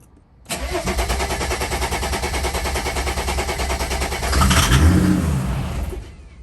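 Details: OM606 diesel-swapped wagon after a rusty fuel tank was replaced and a new, quieter pump fitted, fuel primed: steady cranking at about three beats a second with one brief surge that never catches. Crank, no start; air in the fuel lines is suspected.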